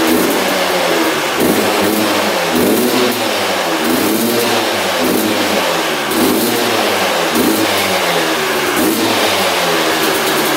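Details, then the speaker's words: 1997 Yamaha YZ250 two-stroke dirt bike, sat for a few years: crisp rapping revved up and down in repeated blips with clean return, engine runs normally. "check this out now you can hear the slide hitting in the carburetor so it's bottoming out now we can adjust it how we like it"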